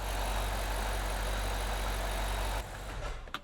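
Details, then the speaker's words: Cold start of a BMW E70 X5 N62 4.8L V8 after valve stem seal replacement for blue smoke and oil consumption: a strong, even low rumble, steady with no ticking or knocking, that then drops away. A clean cold start. "starting to look a bit better but still on the brownish side cold start sounds brilliant"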